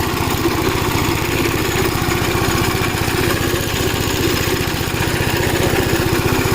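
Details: Gravely Model L tractor with governed single-cylinder engine, after replacement of a blown head gasket: steady, quick putter held even by the governor with no misfires; runs really good, though an oil leak is still being traced.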